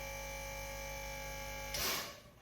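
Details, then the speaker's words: Tesla Model S after replacing the air suspension compressor with an OEM unit, raising from low to high mode: a steady electric buzz while lifting, then a sharp hiss as air blows off. The new compressor sounds healthy. "You hear that? Nice and quiet. It does seem like it's taking a minute. So I guess it's building up that pressure right now. And now it's lifting."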